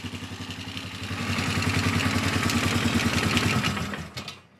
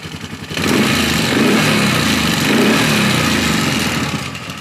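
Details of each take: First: Polaris Sportsman 450 ATV with its restored original Mikuni carb replacing a junk aftermarket carb and fuel pump, no choke or enricher: even single-cylinder idle thump, clean and smooth. A clicking is suspected to be starter clutch rollers; slow mixture seems slightly rich. Normal idle. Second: Polaris Sportsman 450 ATV with original Mikuni carb and new spark plug, idling with no choke: busy, fast light clicking over the idle the whole time it runs; owner suspects starter clutch rollers, cause unconfirmed.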